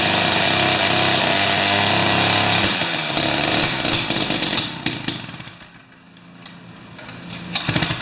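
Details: Jiffy 30 3HP two-stroke ice auger on 30:1 fuel, after repositioning the carburetor diaphragm and priming: high steady buzz, drops back and blips up again; holds speed fine, though it still backfires at full rpm.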